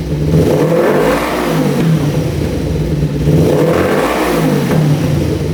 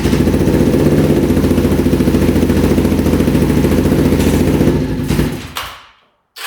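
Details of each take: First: 1988 Kawasaki Ninja EX500 twin after bypassing a vacuum line, fuel flowing, idling at 1500 rpm; climbs cleanly through two blips back to idle, no bogging, stumbling or popping; normal revving. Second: 1988 Kawasaki Ninja EX500, first start, choke on: a steady beat of about three and a half pulses a second that sags instead of revving out; fuel, spark and compression confirmed, owner suspects the kickstand switch; fuel starvation.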